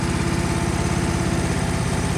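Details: Ditch Witch 1820 trencher, petrol engine after carburetor cleaning (fuel previously gushed from clogged carb, now no leaks): steady, even low putter at idle with no stumbles or surging; normal, healthy idle.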